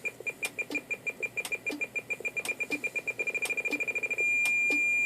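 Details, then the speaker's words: President McKinley 40-channel AM/SSB CB radio, SWR-check function: high beeps speed up as the antenna tuner goes from a gross mismatch (SWR 3.8) back toward match, merging into a steady solid tone at SWR 1.0. "As I go back, the tone will get the beeping will get"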